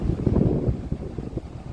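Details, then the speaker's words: Evaporative cooler fan motor after wiring, switched to speed 1 on its control: soft even low whoosh of the fan turning slowly with no rattle or scraping; runs normally at low speed. "Ó, vou botar aqui na velocidade 1. Ó, já ligou, ó."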